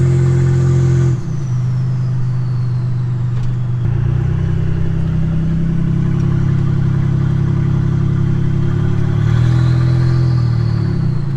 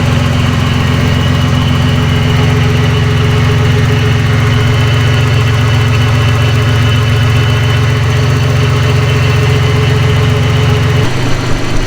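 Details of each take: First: Nissan 300ZX turbo driven with no exhaust fitted: a very loud, raw roar under hard acceleration into boost, then a turbo whistle spools down as the throttle closes. It needs an exhaust fitted. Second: Nissan 300ZX, first start after a new timing belt, water pump, thermostat, plugs, wires and battery, with coolant added: steady idle with a firm low drone and even beat that settles lower near the end. Normal, nothing abnormal.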